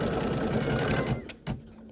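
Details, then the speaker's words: Embroidery machine stitching a DIME Spring Applique design with a recurring problem heard again; fast stitching hum runs briefly, then stops to isolated clicks. Top-thread trouble; owner suspects the bobbin underneath and removes it to check. Recurring skipping noise, cause not yet found. "Okay, I'm going to take this out and I want to check the bobbin. Because a lot of times if you have problems up on top, that means there's a problem down in the bottom."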